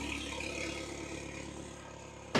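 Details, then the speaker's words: 2003 Saab 9-3 with the original factory fuel pump reinstalled, idling with the exhaust disconnected: a quiet, even hum with no knocks or stumbles, apart from one handling click. The engine runs normally. "I was so confident everything worked, but oh, she runs. She runs as she should."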